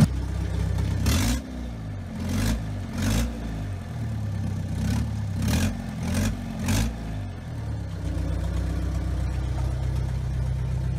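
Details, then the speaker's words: Diesel car run with the faulty turbo removed, after chasing a noise blamed on the new timing chain: clean blips up and down, then even idle, no whistle or rattle; noise gone, confirming a turbo shaft fault. "باهي تو راني نحيت التربو فهمني حطيته اكوتي نجرب الموتور ديريكت فهمني فوالا باش نخدم الكهرباء توا وتو تسمع حس الموتور تبدل نورمالمون."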